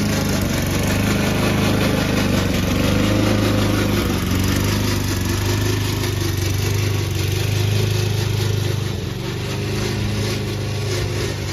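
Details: Old Toro Recycler mower cutting Kentucky bluegrass, binaural recording, before fix: loose, uneven clattering rattle about three or four a second over the engine from the drive system; the noise was later solved with WD40.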